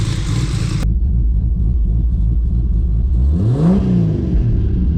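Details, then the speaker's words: Built 2JZ-GTE in a 1995 Toyota Supra with a full exhaust and mid pipe. A deep, even six-cylinder rumble, then one clean rev that rises and falls smoothly with no misfire. Running healthy with good oil pressure. "Oh, dude, that is running smooth. Oh yeah, listen to that. It actually sounds like a 2J now. I'm digging it."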